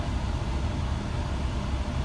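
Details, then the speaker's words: Idle with AC on after throttle body cleaning: low steady rumble holds even under AC load, no sag or hunting; previously dropped to about 500 rpm with AC on, now normal. "there you go as soon as we turn on that you see the idol goes back to normal before hand when I turned on the AC it went down to about 500 rpm"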